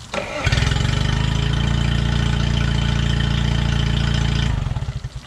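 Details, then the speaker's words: 2010 Yamaha 25hp four-stroke outboard bought for $150, now running after some work: fires right up, smooth even steady idle for about four seconds then shuts off; normal healthy idle. "so I got this thing running took a little bit to run properly and I had a mess at the park but after all that she's great running engine"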